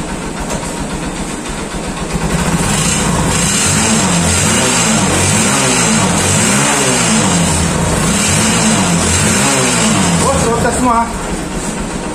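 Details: Honda TMX150 Supremo motorcycle, previously weak and noisy, after clutch housing repair and carburetor replacement (failed diaphragm, pilot screw) on test: engine pulls cleanly up the revs with even exhaust beat, no misfire or rattle; normal running.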